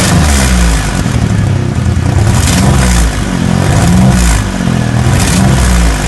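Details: 2004 Mercury Monterey 4.2 with severe misfire (P0300, P0316, P0301-P0303, P0171, P1270), started with the oxygen sensor removed to relieve back pressure: loud, uneven surging rhythmic wobble with raspy exhaust; still misfiring, melted-down catalytic converter suspected.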